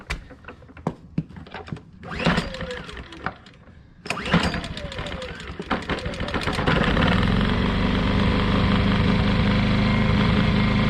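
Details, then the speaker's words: Ryobi inverter generator that wouldn't start because choke linkage doesn't fully close, started with choke held shut by hand: pull-start noise, then catches and settles into steady even drone; runs normally. "as you can see when i held the choke with my hand it started right up"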